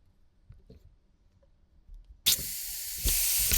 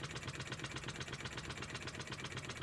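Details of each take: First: Scratch-built Wig Wag oscillating steam engine on compressed air, earlier recording: uneven sharp puffs about four a second, sputtering then stalling; struggles, apparently because skewed pivot makes cylinder bind, wear marks on one corner. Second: Wig Wag oscillating wobbler engine on compressed air, with the compressor adjusted to run it slowly (slow running is a sign of good build): soft, quick, evenly spaced chuffs with no stumbles or knocks; running smoothly.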